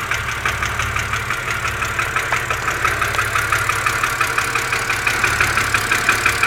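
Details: BMW Z4 2.5si, cold idle: sharp even ticking about three times a second above the engine hum; top-end tick of unknown source.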